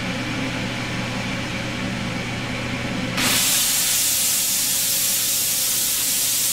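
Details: Benchtop steam sterilizer (pressure cooker) after about half an hour of sterilizing: low exhaust-fan hum, then a sudden loud steady hiss as the valve opens and steam vents evenly while pressure drops toward one atmosphere; normal venting.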